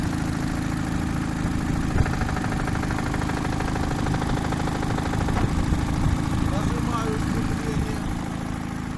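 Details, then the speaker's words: Chevrolet Cruze idling: hard, irregular knocks that appear when the clutch pedal is pressed and stop when it is released. Knock when the clutch pedal is pressed; the source is unknown and the owner is asking for help. "Появился у меня такой стук, сцепление выжимаю, и тут появляется жесткий стук."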